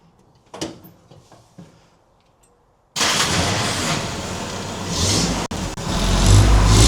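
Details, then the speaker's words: 1950 Willys M38 Jeep started for the first time in over 15 years, choke on, with a fuel leak; engine picks up smoothly through a few gentle revs and settles back with no knocks, misses or rattles; healthy. "I gotta hop in here, rev it up for a minute. I'm not gonna go too crazy because, you know, fuel leak."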